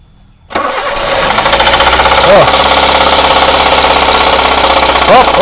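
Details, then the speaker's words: Toyota Xenia engine damaged by oil problems, cold start at fast idle without throttle: rough, hard uneven metallic knocking about three per second; bottom-end knock suspected, not confirmed. "jadi suaranya Udah jelas gitu loh sangat mengerikan gitu ya itu nggak di gas loh karena posisi mesin dingin suaranya pasti tinggi rpm nya"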